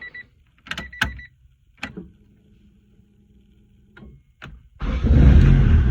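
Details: 1994 Honda Civic hatchback after ignition lock cylinder replacement for hard starting, starting with second new key: key clicks, low dash tone, quick crank, engine catches and settles into steady even run; normal start.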